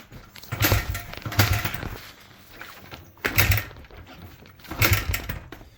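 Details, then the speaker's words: 2006 Honda CRF100F dirt bike: repeated cranking attempts bring loud, harsh clicking and knocking bursts; after the repair it no longer clicks or knocks. "If you guys didn't hear, it's making a big loud clicking noise. So, I'll be showing you how to fix that."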